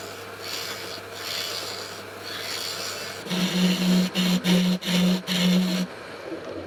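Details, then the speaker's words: Wood lathe turning a pine-cone epoxy resin blank: steady hum, then rough rasping scrape in choppy bursts as the blunt carbide tip rubs rather than cuts cleanly; due for tip replacement. "Now, as you can probably hear and see, my carbide tip is starting to get pretty blunt."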